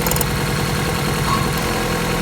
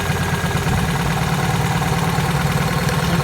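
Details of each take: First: Opel Corsa 1.4 16-valve petrol idling evenly with a steady low hum and no misses after the repair for misfiring. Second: Opel Corsa 1.4 16-valve petrol idling with a lumpy, uneven beat from one misfiring cylinder, caused by a faulty ignition coil, which was replaced.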